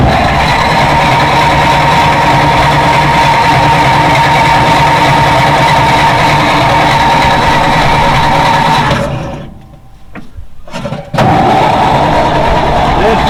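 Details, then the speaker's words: 1940s Dodge army truck converted to fire truck, sat about 30 years: even starter cranking about four turns per second for nine seconds, never fires; oil pressure building but no spark. "Building oil pressure. That's good to see. But no spark."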